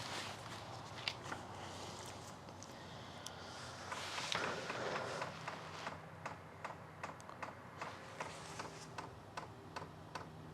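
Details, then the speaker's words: Sunster 5kW all-in-one diesel air heater at first startup: the fuel dosing pump primes with sharp, light ticks about twice a second in a quiet room, which is normal priming. "don't if you hear that but there's the pump sound first time pring"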